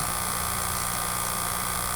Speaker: It's like a little buzz, okay? That's the heads that are spinning, and they're basically scanning the tape, you know, one comes around and the next one comes around, okay?